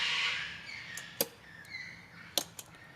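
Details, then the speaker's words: Nissan NP300 with Ironman LED fog lights newly wired through a relay fed from the battery and the parkers. Two crisp, sharp clicks about a second apart as the relay pulls in and releases when the switch toggles. Normal relay click. "that's it, the relay's working. That's the noise a relay makes when you send power through it."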